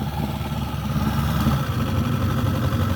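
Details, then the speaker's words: Small outboard on a 1964 Glasspar boat idling in gear, shifted forward, neutral, reverse: steady low burble with water churning, even firing, no misfires; it is charging, though it tends to lose prime overnight. "Forward, neutral, a little more gas. It'll kick the water out of the bucket, so reverse. It's pretty good."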